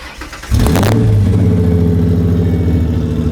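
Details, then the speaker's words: V6 Ford Mustang, owner's first car bought at 16, on its second engine: catches on first crank, flares briefly, settles to smooth even idle with steady low rumble; healthy, deep-sounding V6. "It still sounds as good as I remember. Dang right."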